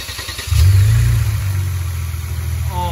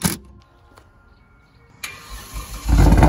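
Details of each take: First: Kia Stinger GT2 rebuild after removing plastic from the throttle body and fixing a boost leak, which had made it loud and rough: catches and settles into a steady even low rumble, no misses; runs smooth. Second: Rebuilt wrecked Kia Stinger GT2 with loud aftermarket exhaust: loud, uneven pulsing rough run about three beats a second; cause was a boost leak from plastic in the throttle body, ran smooth after fix.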